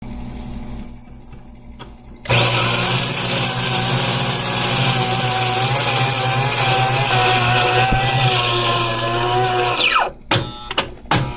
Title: Saeco 200 making horrible clicking sound